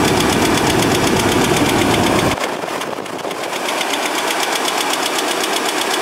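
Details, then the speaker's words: Project junk Chevrolet S10 engine: a light, even top-end tick at idle that lingers as revs drop, before an engine flush. The owner first thought it was an exhaust leak but now doubts it; cause unknown. "but it didn't sound that bad at first first it was just a little bit of a of a a tick I thought it was an exhaust leak but I really don't think that's what it is"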